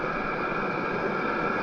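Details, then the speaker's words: Diesel heater powered by AC extension cord, after about 14 minutes, turned up to full output at full temperature: steady even whir with constant fan tone, no surging or sputter; running well, exhaust very hot. "and you can see the heater is running very well it's at full temperature and it's putting very very nice heat"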